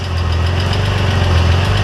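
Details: VW Corrado VR6 that had been stalling and not starting, found with no spark. The engine catches and settles into a steady, even low idle with no misfire. Fixed after the spring contact from the ignition coil, which was pushed all the way in, was extended.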